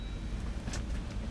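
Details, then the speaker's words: 2022 Jeep Wrangler Unlimited 3.6 V6 Pentastar on a night test drive at around 30-something degrees, after swapping the AUX battery for stalling and no-start; low even rumble, no knocks or ticks, no dash codes, running real nice. "Oh yeah, it's running real nice now, real nice. So, got that battery swapped out, no problems, nothing."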